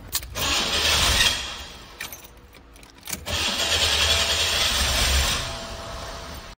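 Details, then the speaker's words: 1986 Oldsmobile 98 Regency Brougham on a full tank of ethanol-free fuel, now able to stay running: fires in two surges with a choked, hissing exhaust and little deep thump; owner is sure the catalytic converter is clogged and suspects more is wrong. "definitely that cat is bad there's no doubt in my mind listen to it oh it's more than that it's"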